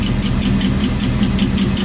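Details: Rat rod engine idling with a light, quick, regular tick of about five per second riding over the idle. A bent pushrod was found by taking the valve cover off.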